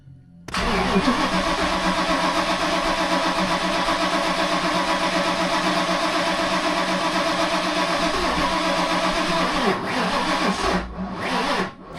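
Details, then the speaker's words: Freshly rebuilt 363 V8 with a new Holley Smart Coil, cam sync and crank trigger on Terminator X EFI, first start: runs rough and lumpy at a fast idle; owner suspects the timing or crank trigger setup, possibly 180° out. "Does that sound like timing is right? All righty. Well, not happy with something. I'm going to have to double check everything again."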